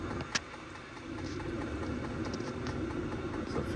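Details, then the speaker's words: New Vevor diesel heater running in a carp-fishing tent: smooth, steady low blower hum with an even burner rush, no surging or popping; running normally. "Voilà les gars, le chauffage s lancé."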